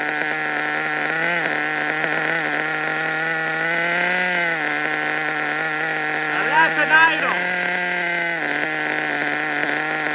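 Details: New nitro RC car engine idling with a high, buzzy note whose pitch wanders up and down instead of holding steady; uneven idle, air leak or poor tuning suspected, not confirmed.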